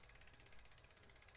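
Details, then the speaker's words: Bicycle disc brake after hand-straightening a warped rotor: spinning wheel gives only fast, even freehub ticking with no scraping or rubbing. No brake rub. "and I have already fixed this rotor or at least got it to where it's not making noise anymore why my brakes spin it again"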